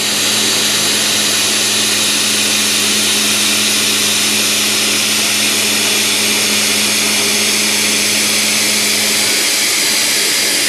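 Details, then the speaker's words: Full-diameter, full-depth slot milling cut with an end mill in a heat shrink holder, about 2 in stickout, 1.5 thou chip load, blue chips; steady even cutting hiss, clean constant spindle tone, no chatter or squeal; normal healthy cut. "no chatter no squealing no nothing these heat shrink holders tend to have a lot less run out and hold a lot tighter than a CET"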